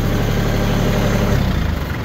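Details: TC25D 25 hp three-cylinder diesel tractor at about 1,500 rpm powering a three-point log splitter; steady, even low drone, smooth with no knocks or whine; healthy engine under load.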